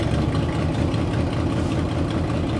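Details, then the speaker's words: Rusty Buick LeSabre started, oil pressure shown: low, steady, even idle with no knocks, ticks or misses; engine sounds normal and healthy, runs like a top. "yeah that sounds normal normal and healthy for a rig like this yeah yeah runs like a top"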